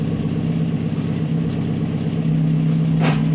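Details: VW Gol G2 (Gol Bola) manual gearbox: steady engine hum, then a brief harsh crunch when engaging third gear to pull away, with the lever jumping; possible causes suspected, not confirmed.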